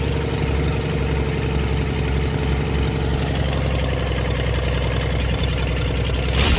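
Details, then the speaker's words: 1996 Dodge 2500 diesel, cold, no exhaust fitted, after stock HX35 turbo replacement and transmission swap, still burning off oil: low, uneven idle with a light tick riding on the clatter, engine shaking; owner says it always ticked when cold; rough cold idle. "you can see it's uh definitely shaking a little bit and uh this thing is always when it was cold it had a tick to it"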